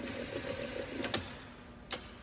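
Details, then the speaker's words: Starter motor on the bench wired to a battery, with amperage graphed on an oscilloscope; two sharp isolated clicks with no cranking, as the solenoid engages but the motor does not spin and draws no current. "you can see there it didn't even draw anything when the starter just clicks that's just the solenoid clicking"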